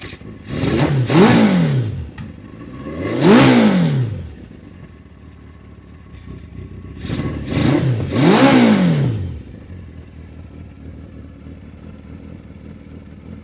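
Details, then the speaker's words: 1981 Kawasaki LTD 550 first start after sitting in a barn about 30 years, fuel restored, on choke: several sharp rev blips rising and falling cleanly, settling to low idle; runs reasonably well. "don't think that's too bad."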